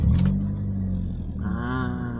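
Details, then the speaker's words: Proton Waja MMC manual with cold-start issue, after ECU reflash to second-version standard firmware, engine cooled and check-engine light off: catches at once and settles to steady even idle, clean start. "okey ah. Cantik ah. Ha macam ni baru cantik."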